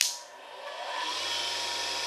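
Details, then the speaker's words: New U3 universal cutter grinder, first start-up after unboxing: quick spin-up to a steady smooth hiss with a low even hum and no rattle; motor running very smoothly, normal. "to be running very smoothly"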